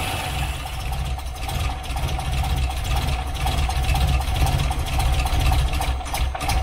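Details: Wolseley 18/85 BMC 1800 'Landcrab' started after sitting for years, carbs primed by hand and fuel pump possibly starting to deliver: rough, uneven, lumpy idle that wanders and barely keeps running, pointing to a fuel supply problem.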